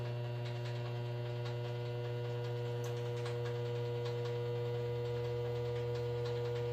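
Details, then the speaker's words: Washing machine on a medium cycle at drain: loud steady mains hum as the jammed drain pump motor stalls without spinning up, then the thermal cutoff trips; it must cool and reset before clearing the pump. "If that happens, you'll have to wait for it to cool off and reset, and then you'll be able to work on it. So right now I'm going to pull it. You can hear it trying to work."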